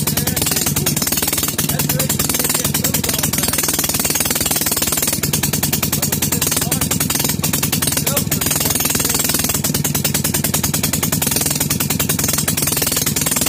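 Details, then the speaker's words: Maytag Model 72 single-cylinder engine, first start after complete rebuild with new rings: rapid sharp popping exhaust beats, steady and even, firing consistently; normal running, expected to improve as rings wear in. "but if it would run just a little bit I think it run in real good you will then improve as it rubs rings"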